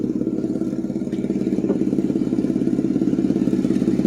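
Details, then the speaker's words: 1992 Mercedes-Benz 600SEL V12, warmed up and running nicely: steady idle with a sharp ticking puff about two and a half times a second; exhaust leak underneath the car. "It's the exhaust leak down under. You hear that?"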